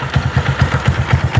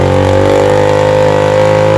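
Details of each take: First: Single-cylinder motorcycle idling after treatment for piston-skirt slap that had caused knocking and heavy smoke; steady even putter with no knock or rattle, smoke and noise gone. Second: Motorcycle that smokes heavily, held at high revs then dropped to idle: a hollow, loose clatter rides each firing stroke; piston skirt slapping the worn cylinder, fix is replacing the cylinder kit.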